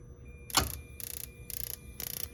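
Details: Burnham gas boiler struck by lightning, first start after replacing the main control board and transformer: quiet hum, a bright burst, then crisp igniter clicks about twice a second. Normal boiler startup.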